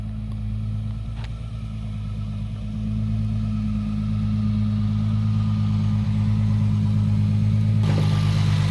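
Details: Nissan 240SX S14 SR20DET after engine rebuild, jump-started, loose injectors reseated: steady even cranking drone with a faint pop or kick, never catching.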